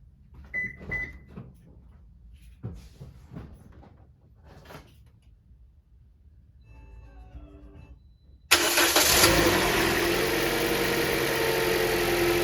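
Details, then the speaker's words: 2009-2013 Toyota Corolla after a serpentine belt change for an aftermarket alternator, bolts torqued to 14 and 32: the engine catches quickly and settles to a smooth, steady idle with no belt squeal or chirp; the belt spins the alternator without excess tension. "looks pretty good look like it's spining the alternator doesn't have too much tension on it"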